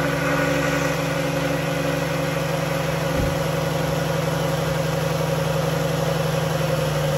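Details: 2011 Dodge Journey 3.6 V6, cold start after lifter and rocker replacement: smooth even idle, steady hum, no top-end tick or rattle; previous ticking gone; brief power steering whine at startup, fluid low.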